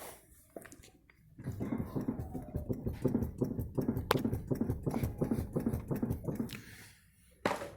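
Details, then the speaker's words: 1988 VW Voyage 1.6: hollow clunks about three a second as the front is rocked. The front suspension is knocking and very loose; the shocks are to be replaced and play in a tie-rod end or the steering box is suspected. "a suspensão dianteira dele dianteira sol tá batendo né"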